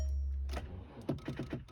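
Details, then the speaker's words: VW Beetle with 115k on the odometer: turning the key gives a short run of quick dry clicks with no cranking. Starter clicks but won't crank; owner suspects the newly bought battery or a bad connection. "boo got batteries junk or bad connection you better not be bad I just bought that battery"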